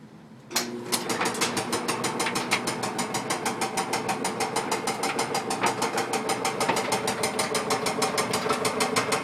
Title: Whirlpool dryer ticking/clunking noise